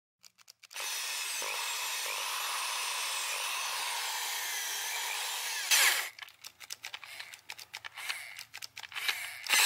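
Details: Bosch mains-powered hammer drill, about 25–30 years old, before repair: motor runs about five seconds with a rough, crackly buzz, burping instead of a clean whine, then stops; worn carbon brushes.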